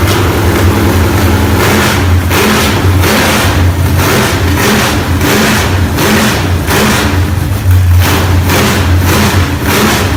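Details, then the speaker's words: Freshly built low-buck 454 big-block from a stock short-block with a thumper flat-tappet cam, broken in earlier that day. Choppy, loping rumble with repeated quick throttle blips that rise and fall cleanly. Normal lumpy-cam idle and revving. "um that's the second motor I've built with one of those thumper cams in them they seem to work good they have the raunchy sounding Rumble that people like"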